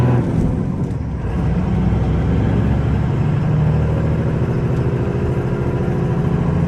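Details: 1994 Dodge Ram 2500 4x4 with a 12-valve 5.9 Cummins diesel, 122k miles, pulling uphill through the 5-speed manual gears: deep, steady drone with no knocks, grinding or whine; clean, healthy run.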